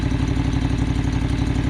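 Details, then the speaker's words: John Deere 445 riding mower after work on a heavy-smoke problem: small engine idles with steady, even firing pulses, no knocks or misses; runs okay and no longer smoking heavily, though not yet considered saved. "so i mean it runs sounds okay you know i think"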